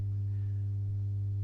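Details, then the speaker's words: Masco M25N valve amp, poorly re-capped, on current limiter: loud steady low hum at twice mains frequency with buzzy overtones; possibly a cap missing or used for screens; mains hum from insufficient filter capacitance. "and I'm not sure if there's not a cat missing unless that is one for the screens that they've put on there but that is a might noisy isn't it"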